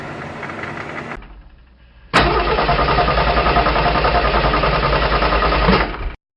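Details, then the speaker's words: BMW 740i just after starting, at idle: fast, busy rattle and clonk from the front of the engine; worn water pump with play in its shaft letting the fan clutch wobble. "you remember from the last video that I mentioned that I had a little clonk coming from the front of the engine. Well, upon inspection, when I got it home, the water pump is on the move."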